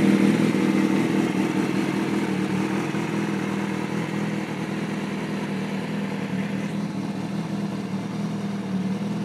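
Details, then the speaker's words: 2005 Kawasaki ZX-6R 636cc track bike, 7,219 miles, Muzzy full exhaust, Power Commander, not started for a couple of weeks and just about warmed up: smooth, even idle with a steady low beat, no knocks, ticks or misses; normal idle. "see it's running really smooth no issues no issues whatsoever with this bike"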